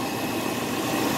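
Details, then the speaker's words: 2006 Jeep Cherokee started right after fan clutch replacement: short, even idle rumble with a smooth, steady fan rush, no rattle or roar from the front; the engine idles normally. "Vamos a prenderla. Menos está funcionando. Creo que se escucha"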